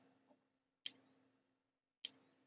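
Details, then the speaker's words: Thunderbird TB10 battery-powered portable strip-grazer fence energiser on the bench: sharp regular ticks about every 1.2 seconds, quiet room; ticking and discharging the capacitor but no HT output, owner suspects open-circuit transformer or orange wire. "so we're uh ticking it's discharging sounds like it's discharging the cap maybe the transform open ciruit"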